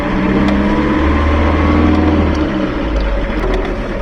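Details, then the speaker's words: Van road test after replacing a driveshaft universal joint: even engine and road drone with no knocking, clicking or whine from the driveline; the driveshaft is now quiet. "Let's see if it still makes strange noises. Oh! You can't hear it, but it's really quiet."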